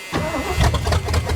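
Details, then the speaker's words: 1973 Ford Mustang Mach 1 V8 with points ignition, restarted after sitting with the battery disconnected. It cranks briefly and fires right up into a strong, lumpy rumble. "come on come on oh that fired right up There She Goes"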